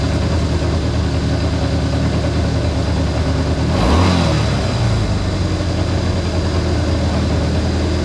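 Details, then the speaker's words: Honda CA160 Benly engine after carburetor rework (clogged pilot and main jets cleaned): steady even low idle with one clean rev blip rising and settling smoothly; healthy and responsive. "Well, she runs."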